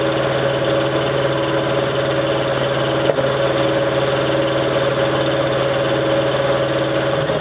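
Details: 1987 Toyota 4Runner, high mileage, first-morning cold start at idle, clutch in, no gas: uneven stumbling idle with dropped pulses, still misfiring after 3 minutes. Cause: cheap head gasket on reman engine leaked coolant, cracking the aftermarket head and fouling plugs; fixed with used OEM head and gasket.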